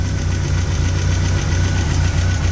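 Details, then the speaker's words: MGB after a new gauge install, idling while warming up: a steady low rumble with an even, regular pulse and no knocks or misses; normal idle (the temp gauge later bounced and the owner suspects a bad temp sensor). "good idle, supposedly. Oh, we'll be back in a couple. I'm going to let it warm up a little bit."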